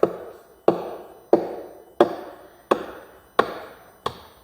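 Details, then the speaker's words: Cerwin Vega AT12 speaker with a cabinet rattle: seven firm knuckle taps on the cabinet side, each dull and quick to die away with no hollow ring, showing a solid panel with no loose joint there. "and you're basically you're listening for that little bit of hollow sound so to me this sounds pretty solid on this side right there"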